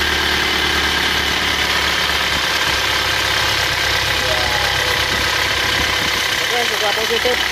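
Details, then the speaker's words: Isuzu Touring (Panther) automatic diesel with new liners fitted but still failing: harsh, uneven idle with a dull knock, heavy blow-by (ngobos), coolant running out fast and overheating per owner; engine pulled down. "Kata pemiliknya overheat, sering kepanasan itu dan mesinnya suaranya kasar juga. Kemarin didengarkan suaranya kasar ya, tidak halus."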